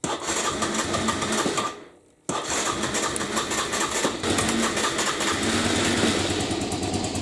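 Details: 1998 Aprilia Leonardo 125 scooter, long stored outside, after battery replacement and carburettor cleaning: fast, even buzzing from the single-cylinder engine, steady after a brief dip; it runs healthy.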